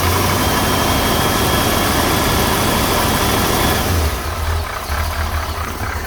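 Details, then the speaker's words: 1968 Corvette with a 1969 350 small-block and 1972 heads, cold start after sitting two weeks on a warm morning without choke: uneven top-end clatter over the idle; owner suspects worn lifters; has always sounded so. "personally, I think the lifters are worn. I want to put new lifters on it. And rocker arms. But it runs well. It does have a sound, but it's always sounded just like that."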